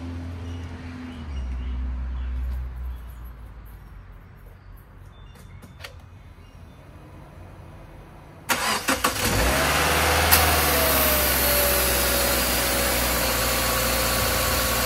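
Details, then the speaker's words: 2014 Subaru Forester at 262,070 miles, first start after throttle body cleaning and oil change: short crank, catches at once and settles into smooth, even idle with no misses; normal idle. "okay start it up just fine let it sit for a minute and uh check the oil"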